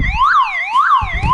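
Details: Old car alarm siren whoops loudly, rising and falling about twice a second, still sounding after the car battery is disconnected because its own internal backup battery powers it; owner is removing the horn.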